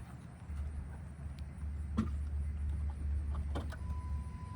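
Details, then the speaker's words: 2008 Honda Accord, fuel line disconnected with pump jumpered and key in accessory, draining accidental E85 fill: constant even low electric hum; in-tank fuel pump running normally with fuel flowing. "Awesome, so we do have fuel flow here. Okay, as you can see, the fuel pump's pumping away."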